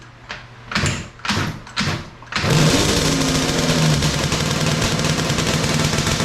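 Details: 421cc Yamaha Banshee two-stroke twin with 39 PWK carbs, first start after engine install; both carbs choked individually, primed at wide-open throttle; four cranking bursts, then catches into a steady crackling idle; healthy start.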